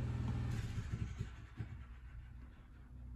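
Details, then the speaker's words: Honda EX1000 portable generator, choke off, with an 800 W resistive heater switched on. Low drone sags and lurches unevenly, stumbling under the load; breakers did not trip. Owner suspects the load is too much for the alternator. "it must be too much load on it let's turn that off didn't like that right 800 might be too much of a resistive load so i wasn't expecting that"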